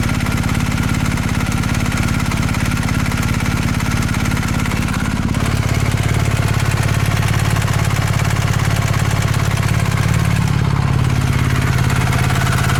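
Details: Used 2019 BMW R1250 GS with about 3,000 miles, after a dealer check of a tick from the left cylinder head: even boxer idle with a faint, light metallic ticking over the thump, judged normal valvetrain noise.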